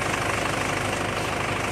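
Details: Front suspension that clunked when turning, after greasing the ball joints rather than replacing them; engine started and wheel turned to check: steady, even idle with no clunks or knocks; front end now quiet and healthy.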